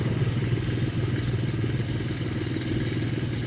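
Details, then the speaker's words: Ford Explorer a few minutes after STP engine flush and Castrol Edge oil change, idling loud with a pulsing low clatter about three times a second; rattle settling, owner attributes it to dirty oil. "So you can still hear it's pretty loud, but it definitely settled down."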